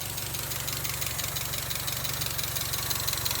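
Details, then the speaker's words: NA Mazda Miata after re-installing camshafts with cam gears torqued to 41 ft-lb; low-idle stalling fixed by reseating intake charge tube on mass airflow sensor. Steady, even idle, smooth low rumble, slight diesel-like tapping, no hunting: normal idle. "taps like a diesel and otherwise prayers like a kitten"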